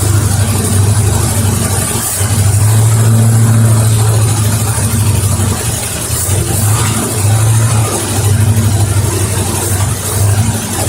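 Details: 1973 Mercury Cougar XR7 V8, recently restarted after ATF was put in the cylinders and now smoking, idling with a deep rumble and a faint, quick top-end tick from the lifters.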